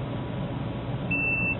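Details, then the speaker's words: Dell server power supply, multimeter continuity test: steady high beep under half a second; a mounting pad/jumper connects DC to the ground plane, probably needs cutting out for series use. "that little guy right there connects the DC to the ground plane as well so I think that probably needs to be chopped out"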